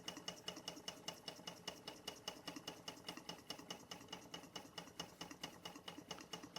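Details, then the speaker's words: Bing 10/110 poppet valve toy steam engine on its original spirit burners, maintenance run after a couple of months idle, below 1 bar (about 10 psi), condensation cleared, steam oil in: quick, light, even ticking about 2.5 beats a second; running smoothly, normal. "We got rid of that condensation. Steam only now, and off she goes. What a lovely machine."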